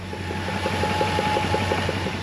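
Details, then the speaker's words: Chrysler Newport revived after sitting about 22 years, idling: a faint thin whine or suction noise rides above the engine beat, coming from the newly installed fuel pump; a known issue with new pumps. "I don't know if you can hear that over camera, but the fuel pump makes this weird noise. And I did a little bit of research and it doesn't seem to be like too uncommon."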